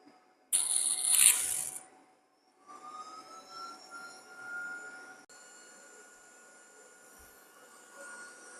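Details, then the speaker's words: PICC Starfire electric plasma hob, plug-in unit, fired up to boil a pint of water: steady airy hiss with faint tone climbing then holding one pitch; the usual strange start-up noise, running normally, boils a pint in 2.5 minutes. "So let's fire it up. So these are basically just plug and play. Makes a strange noise when you fire it up."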